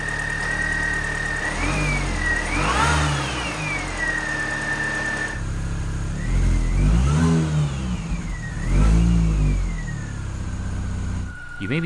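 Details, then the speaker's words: 2005 Mini Cooper S, started after replacing the intake hose: a pretty serious squeak on the passenger side, a loud high squeal over the running engine rising and falling with each rev or steering movement. "able to hear there's a pretty serious squeak on the passenger side."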